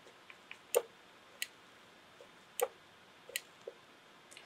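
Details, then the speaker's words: Gas burner diaphragm air pressure switch (0.26 in water column) under a hand vacuum pump: sharp single clicks, a couple per second, as very light suction pulls the switch over; normal switch action. "so it takes almost no suction pressure at all to get that diaphragm to pull that switch"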